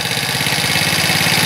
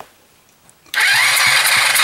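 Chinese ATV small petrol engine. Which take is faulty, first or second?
first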